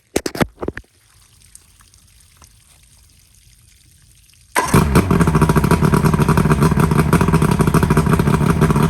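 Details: Johnson V4 outboard (1995 or 1996) after installing new power pack to fix no-spark; fires after a few seconds and holds a steady buzzing idle on all cylinders, no misfire, though smoking a lot, possibly from not being run in a while.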